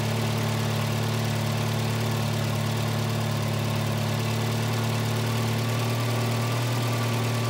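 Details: 1985 Volvo 240 (LH2.2), with the idle air control motor grounded via its blue/white wire and shown working: a steady, even but fast idle hum that never settles, as the idle air control valve keeps revs too high (a replacement unit, later swapped for a cleaned OEM one).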